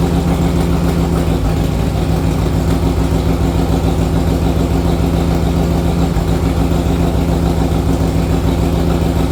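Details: 1961 Harley-Davidson Panhead V-twin, warmed after a ride: uneven loping chug with a stumbling beat at steady revs, a lean miss caused by an intake manifold leak.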